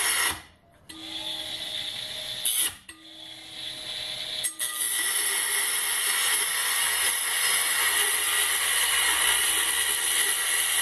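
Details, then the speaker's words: Banggood 220V 72W micro rotary tool at maximum speed with an oversized 75 mm cutting disk: high whine holding pitch through two short stops, then steady rough cutting rasp without bogging; normal cutting under load, motor stayed cold. "well actually cut through it I'm surprised it actually did"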